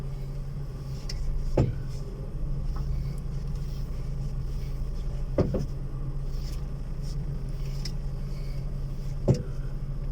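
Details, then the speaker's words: Single dull clunks every few seconds over a low engine hum on a Volkswagen Fox when steering left or right and driving straight; the noise seems to come from one side, traced to loose suspension mounting bolts. "Pues aquí lo tenemos nuevamente pero en esta ocasión ingresa por una reparación en la parte de la suspensión ya que presenta un ruido al girar izquierda o derecha y andar en recto escuchen"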